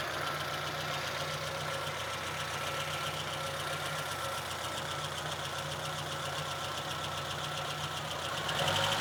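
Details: VAZ 2114 petrol engine at steady idle: fine, fairly regular tapping about four per second from inside the engine; source unknown, owner asks what is knocking.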